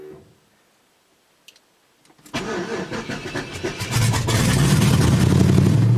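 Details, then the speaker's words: 5.3 LS-swapped third-gen Pontiac Firebird starting after a new fuel system install (stainless sending unit, braided lines, inline filter, quick disconnects), no pressure gauge fitted: brief crank, catches, steady even low V8 idle, no knocks or misses; sounds good. "Sounds pretty good to me. I'm gonna go check for leaks and stuff."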